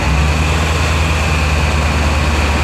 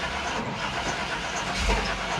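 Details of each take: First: 2000 Chevy Tahoe LT 5.7L after distributor timing adjustment (cam retard at zero, raised above 1000 rpm), previously crank no-start from distributor with shaved gears: steady even hum, no misfire, knock or hunting; healthy. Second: 2000 Chevy Tahoe LT 5.7L: steady starter cranking with an uneven compression rhythm and no catch. It cranks but won't start because the distributor is out of time from shaved gears, so there is no correct ignition timing.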